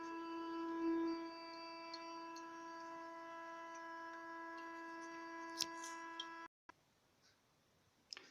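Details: Toilet cistern fill valve humming while refilling after flush: loud steady reedy hum for about six seconds then abrupt cutoff; fix is replacing the cistern fill and flush valve assembly and the tank-to-bowl gasket.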